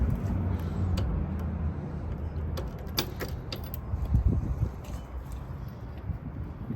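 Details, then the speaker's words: John Deere tractor diesel, cold start below freezing (about 28°F) without glow plugs: cranks right up and settles into a low, even rumble with no stumbling or misfire, a healthy cold start and idle. "Had no doubt it would start. It's probably one of our easiest starts. No glow plugs, no nothing. Below freezing, cranks right up."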